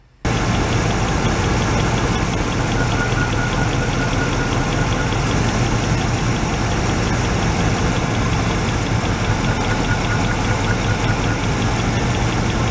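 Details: Warm 1986 Oldsmobile Cutlass Supreme V8, revived after sitting about five years, during a cylinder-grounding test: lumpy, uneven idle with a stumble. Grounding number three made no difference, making it the suspect cylinder; its plug wire then looked bad.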